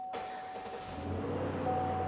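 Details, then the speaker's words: Dodge RAM after locksmith/security work with pins 19 and 51 re-seated, security light not shown, purge valve disconnected: fires almost at once, catches cleanly and settles into a smooth, even idle; normal start and idle. "got ourselves a runner. This is good."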